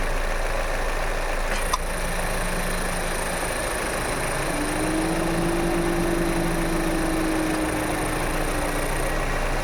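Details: Toyota Innova Hycross at steady idle: one sharp tock each time the AC compressor engages, followed by a faint hum; the cause is unknown.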